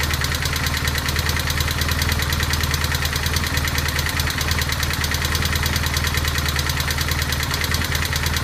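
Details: BMW 1200GS at idle: steady, sharp, even metallic clatter ticking about three times a second over the engine note. Source not identified.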